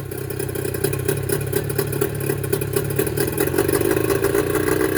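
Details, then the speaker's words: Mercury 25HP two-stroke outboard: an uneven, coughing idle with irregular, stumbling pulses over the drone. Cracked reed valves cause the rough running; they are being replaced with Boyesen power reeds. "you'd be amazed that you wouldn't think that these two little pieces of metal is what makes the motor run so rough but these are the valves for the two strokes"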